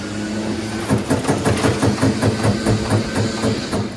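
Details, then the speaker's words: Troy-Bilt Gardenway 47278 vac chipper, Briggs flathead horizontal engine, pulled slowly on choke. Light regular clatter with no compression thump on any stroke and very easy to pull; no compression, and the owner suspects a blown engine, not yet confirmed. "it sounds like it's just the carousel like there's no compression"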